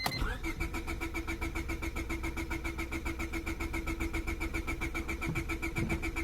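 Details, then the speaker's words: 2000 Honda Civic 1.6L, parked in damp weather after sitting: the starter cranks steadily at about four turns a second for six seconds but the engine never fires; fuel can be smelled, so a spark issue is suspected. "cool so for some friggin reason uh whenever it's damp it's you know rained or something like that and the cars been sitting for a while doesn't start"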